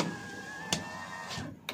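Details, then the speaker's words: 2023 Toyota Avanza G 1.5 automatic, front right driver's-side power window: the motor hums steadily with two sharp clicks about a second apart as the glass goes up or down, from a loose regulator rail bolt. "Jadi kalau misalkan tak turunin kayak gini ada suaranya dia cetk gitu ya naik pun gitu"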